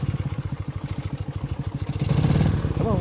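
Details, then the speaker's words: 1965 Honda CB160, about 1070 miles, run after decades sitting, with carbs cleaned, new points and condenser, rebuilt petcock and a fouled right-cylinder plug found: an uneven putt-putt with stumbles and pops, barely idling. Misfiring, near stalling. "so she doesn't run perfect but she runs you can hear kind of popping and farting a little"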